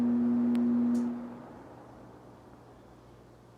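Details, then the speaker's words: 1969 Sears (Vernco) box fan, 3.7 A 1/12 HP motor in plastic shell: steady mid-pitched hum that fades over a fraction of a second at switch-off instead of stopping instantly. "take a listen here and see if you can hear it when I turn it off the sound sort of quickly Fades away instead of instantly stopping"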